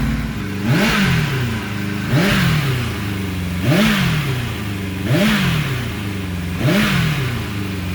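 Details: 1991 Kawasaki ZXR750 with twin Toyota Supra turbos, first run after swapping ECU coil-igniter wires that fired 180° out: lumpy, uneven revs blip and sag, never settling; plugs super black, running far too rich.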